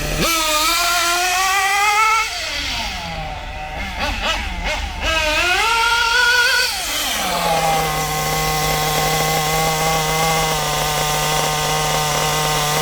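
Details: Kyosho MP9 nitro buggy with its standard two-stroke engine after tuning: quick clean revs dropping smoothly back to a steady, even buzzing tick-over that holds without stalling; running well.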